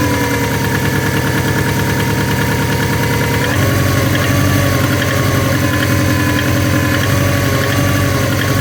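A steady idle with a loose, fairly irregular knock around three per second over the low engine note; an idle knock, cause unknown.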